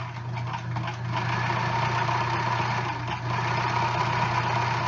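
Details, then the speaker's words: Sewing machine stitching thick batting with a roller foot fitted to keep feed and tension consistent after earlier tight, jammed stitches; steady even motor hum with a light regular tick about four times a second, feeding smoothly without strain. "Now see, it does go through there really smooth, right? The roller foot helps. It really does."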